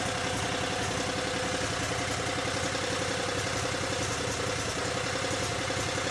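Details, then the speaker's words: Cub Cadet 3205 garden tractor (3000 series, Kawasaki engine) idling and warming up after charge pump rebuild, no leaks found; steady, even idle with smooth regular beat, no knocks, squeals or surging; normal idle. "Let it sit there and idle a little bit and warm up. Let the fluid get nice and hot and make sure there's no leaks, but I think we're good."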